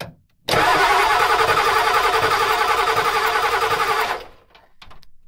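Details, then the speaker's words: Ford 7.3 IDI diesel in neutral, cranked by shorting the starter terminals with a wrench while bleeding injector lines loosened an eighth turn: steady cranking, about four compression beats a second, no start, air in the lines. Bubbles appear at one injector. "aha as you can see that cylinder there has bubbled a little little bit so what we're going to do is we're going to tighten this guy up"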